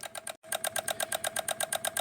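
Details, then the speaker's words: 2016 Honda HR-V with brand-new engine, G101 engine ground bolt removed with a 10 mm to replicate the fault: rapid even clicking about eight per second, no cranking; relay chatter from missing engine ground, corroded ground to be redone. "There we go with the clicking. these exact symptoms came back."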